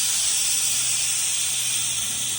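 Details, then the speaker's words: Airing down tires for dirt roads, pulling the valve core until just after the whistle stops, aiming for 15–20 psi: steady, even high-pitched hiss of air escaping the open valve stem, no sputter; normal airing down. "So I'm just pulling the core until right after the whistle stops."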